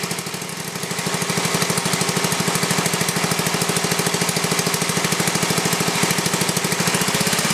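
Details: Briggs & Stratton 11 hp flathead (model 25), first run in a year after cold night, carburetor set richer: fast even single-cylinder thump, steady, no misses; running healthy, burns a little.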